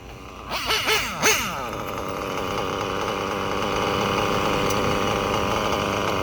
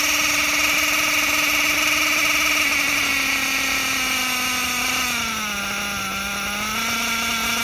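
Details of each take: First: Reds nitro engine, bottom-end needle richened after running too lean and revving erratically: a few sharp blips, then a steady high buzz holding pitch without sagging or surging; now well tuned and healthy. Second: Reds nitro engine, R5R horizontal carb versus traditional carb test; high buzzing whine that wavers and sags, revving erratically on the bottom end because the bottom end is set way too lean.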